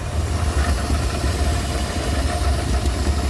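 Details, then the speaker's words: Rolls-Royce Silver Shadow II V8, long stood in a field, first run after cleaning the carburettors; even, low-pitched idle that holds steady without stumbling or misfires, running on its own, though a belt issue remains. "She's running. I still got that issue on that belt."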